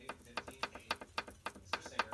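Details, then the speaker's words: Turbo car on jacks, engine off, connecting rod rocked by hand from underneath: sharp metallic clicks about four a second; all rods are loose and this rod's bearing is worn, likely the source of the engine rattle. "here's one of the connecting rods you can hear that ticking let me find another one to touch"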